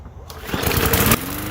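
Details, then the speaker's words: Bolens mower bought as a non-runner, after cleaning and refitting the top cover; after the pull it fires in ragged, uneven bursts and settles into a weak, lumpy run, same problem as before, dirty carburetor needing proper cleaning. "all right she's still doing the same problem she's a bummer yeah i was expecting her to work good but explain to me how you want this to run if you do not clean it right"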